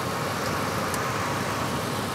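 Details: Ford F-150 with waste spark ignition after misfire diagnosis, cylinder six now firing: steady even idle with no skip or stumble; the constant miss is gone.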